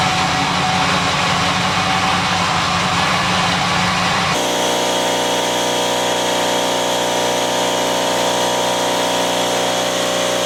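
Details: 1979 Lincoln Continental Mark V Bill Blass edition, about 49,000 original miles, after sitting 8 years with a new AGM battery: steady, even V8 idle with a smooth low hum and no knocks or misses, settling cleanly after the cold start.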